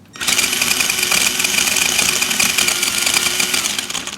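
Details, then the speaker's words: Axial SCX10 Dingo RC crawler under power: high motor whine with fast, uneven rattling chatter as the axle jumps, driveshaft tabs aligned per manual. "I've aligned the drive shafts the way the manual specifies with these small tabs. They're aligned the way they're supposed to be. There's a little better glimpse of that tab. There's a tab on the other side, and they're both aligned, but I still get this axle chatter."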